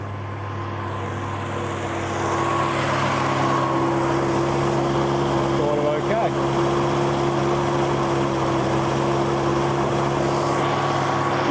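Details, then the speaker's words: 1972 XA Ford Falcon 500, off the road since 2008, just started after 16 years on choke, fed from a boat tank: steady, even drone growing louder over the first seconds, running but very loud; it then starts running out of fuel, likely a stuck needle and seat. "My gosh, it's loud though."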